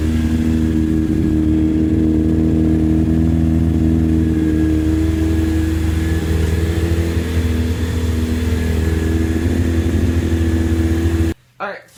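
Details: Honda CBR1000F Hurricane engine in a Roketa GK13 buggy, running: smooth steady run with an even hum, no knocks, rattles or misses; healthy. A box on a regulator/rectifier connector, jumped with a paper clip, later started smoking.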